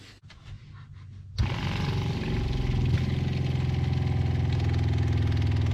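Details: Shurflo freshwater pump in a van water system, on a second test after tightening fittings and fitting a flexible hose between pump and accumulator: quiet, then a click and a steady low buzzing hum pulsing about three times a second; pump runs normally, watertight.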